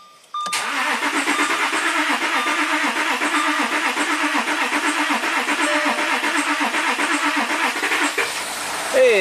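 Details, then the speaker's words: 2014 Audi Q7 TDI after oil cooler and coolant pipe reseal under intake and fresh oil, first start: starter churns steadily about seven seconds before catching; long crank. "Hey, there we go. A little long crank time."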